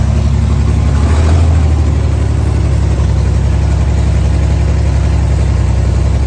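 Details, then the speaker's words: 1964 Chevrolet Corvair running on gasoline for the first time: low steady even idle with no knocks or misses, earlier knocking gone, idle set slightly high; normal idle. "yeah so there it was running on gas for the first time again and the knocking did go away it sounded way better"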